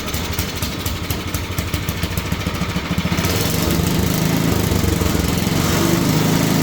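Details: Simplicity two-stage snowblower single-cylinder engine after cleaning fuel line and adding fresh gas; picks up and settles into even steady chug with no surging or misses, running normally.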